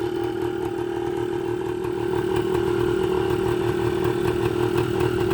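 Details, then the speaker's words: 1980 Suzuki TS125 two-stroke idling: a busy, light, slightly uneven crackle with no knock or grind, running fine. The owner reports it later revs up on its own and stays there, cause still unknown. "hey i'll take it this thing's running great"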